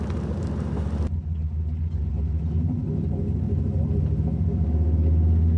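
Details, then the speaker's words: 1979 Chevy C10 V8 after 9 years' storage, on road test after shift adjustment: deep rumble sags and muddies under throttle, then clears; loads up, then died, owner suspects running out of gas despite gauge reading. "All of a sudden, this thing just died on me. It just was running and all of a sudden it started running like crap."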